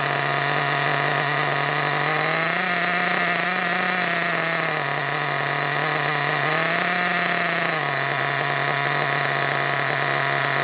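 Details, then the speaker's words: Hobao Hyper ST nitro truggy with a glow plug fitted, just after first start: a high, buzzy scream holds steady, then rises and sags in surges. Owner suspects the fuel tank is causing intermittent lean running and plans to fit a new tank. "I think there's a bit of an issue with the tank I think I'll definitely put that new tank on because what I've noticed is it'll run absolutely fine for a bit and then it'll start to sort of go did you run a little bit lean"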